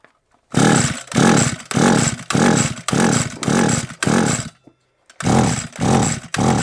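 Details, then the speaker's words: SGS Engineering 26cc strimmer with choke on: about eight rapid pull-cord rasps and it never catches. It has spark and fired on the first pull, but the plug is very wet; owner suspects water got in. "well we know we got spark it means it's probably gonna run or not spoke too soon i spoke way too soon"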